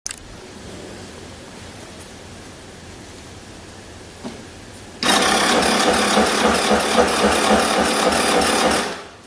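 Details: Suzuki Address V125G scooter with a blown engine. A quiet idle, then a loud revving run with a fast rattling clatter about four times per second through the upper range: abnormal engine noise.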